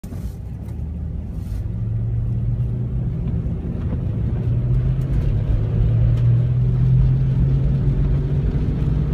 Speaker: Bad wheel hub bearing. In this case, on the right-hand side of this loaner vehicle I have here. That's bad.